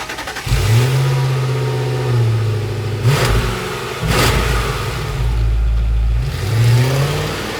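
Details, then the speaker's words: 2002 Ford Thunderbird, 252 hp V8 with five-speed automatic, stock exhaust under acceleration: smooth, muted rumble rising and falling cleanly with throttle, no knocks or rattles; normal. "the engine sound is pretty muted I kind of wish you could hear more of it here's what the stock exhaust sounds like"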